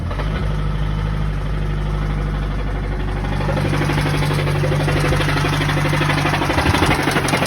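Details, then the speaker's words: Mazdaspeed3 turbo right after the engine blew while driving: heavy deep knocking about four times a second through a rough-running engine, from the bottom end; top end seems okay; engine knocking, motor toasted. "yeah guys as you can tell by that clip motor definitely doesn't sound good that motor is definitely toasted"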